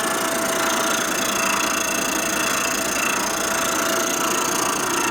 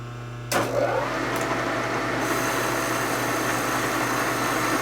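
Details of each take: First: Boring a 1946 Harley Knucklehead 84ci stroker cylinder, bit offset to cut about 20 thousandths on one side: harsh uneven chatter with a pulsing rhythm, heavier on part of each turn, cutting on one side only. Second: Boring machine cutting a 1946 Harley Knucklehead 84ci stroker cylinder, light slow cuts to restore centerline: steady even cutting hiss over constant low hum, slight machine vibration, no chatter; cut running even.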